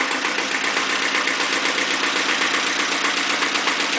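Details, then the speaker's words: Iseki TX-series tractor diesel at about 900 rpm idle, after fitting a foot throttle pedal, blow-by check: even diesel clatter with steady, regular firing, no misses or heavy knocks; a healthy engine despite some blow-by. "demo the foot pedal and the regular throttle still works running around 900 rpm or so"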